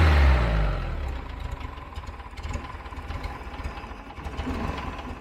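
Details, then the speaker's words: 1975 VW Fusca "Ratoeira" air-cooled engine starting on a new electronic ignition module replacing the points; catches with a burst, then settles into a steady, even idle with no misses before timing adjustment; normal idle. "ainda bem que funciona o sem problema nenhum porque você não tiver passado uma vergonha terrível"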